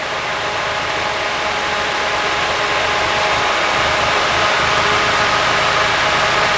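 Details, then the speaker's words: Nissan 240SX S14 Kouki SR20DET rough idle after unplugging a coil pack made little difference: uneven hissy idle with faint stumbling beat around four per second; a vacuum line suspected of worsening it, misfire from a faulty fuel injector. "It didn't make a big difference. It's still pretty bad right now, but"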